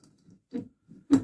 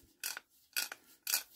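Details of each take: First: Barford Atom axle ratcheting hub turned by hand after removal, before cleaning: only a few faint uneven clicks, sometimes turning backwards; dry ratchet pawls slipping and unreliable. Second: Barford Atom hub ratchet after cleaning and oiling: crisp, even ratchet clicks about twice a second, each a clean rasp with no dragging or skipping; ratchet now engages every time, fixed.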